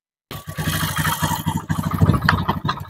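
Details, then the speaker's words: Honda Beat FI scooter with rough engine noise, running with CVT roller housing removed: coarse uneven rattling idle persists; worn piston and cylinder. "Monggo Mas punya jenengan on engine ya Mas on engine tanpa rumah roller Mas tapi suaranya tetap kasar suaranya tetap masih kasar punya jenengan"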